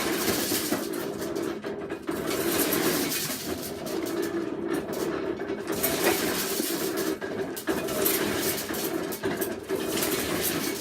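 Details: Ruggles, Nourse & Mason hand-crank corn sheller from about 1835 shelling Abenaki flint corn: a steady rattling crunch with busy midrange chatter and small pauses as the crank turns; it strips kernels normally.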